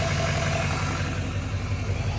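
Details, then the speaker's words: Diesel L5P with newly installed Calibrated Power 64mm turbo, coolant a little low: deep, steady idle with even low rumble, no knocks or misses; running smoothly after turbo install. "Listen to this thing just purr."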